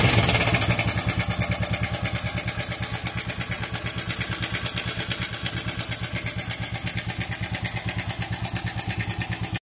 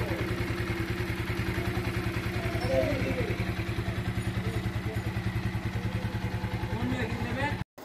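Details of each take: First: TVS Apache RTR 4V motorcycle, engine oil only 400 ml of 1200 ml because it is burning oil: fast, steady metallic ticking rattle over the idle, about three per second; timing chain rattle. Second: TVS Apache RTR 4V motorcycle after an original timing chain was fitted and the rockers adjusted: steady, even idle thump about three and a half beats a second, no ticking or rattle; normal idle.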